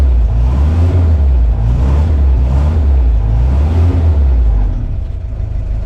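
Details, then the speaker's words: 1955 Willys CJ5 Jeep four-cylinder, just fitted with a new bolt-on exhaust replacing a holed old system; revved up, it gives a deep rumble with a slight stumble and hesitation before picking up. "Little bit of a hesitation there because the old exhaust system had so many holes in it and we put a new system on with no"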